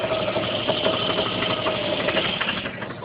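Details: Jeep Cherokee automatic at idle: uneven metallic rattle under the hood, loudest on the driver's side, that disappears above 1000 rpm and sometimes returns under light load; caused by loose flexplate-to-torque converter bolts.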